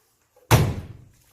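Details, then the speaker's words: Daewoo 9kg DWD-905WNB (900WNB) drum washer: drum turned by hand gives a single heavy, low clunk and doesn't rotate smoothly; the tub-holding spider connected to the motor is cracked and broken. "손으로 이렇게 돌렸을 때 보시는 것처럼 덜컹거리면서 돌지 않습니다"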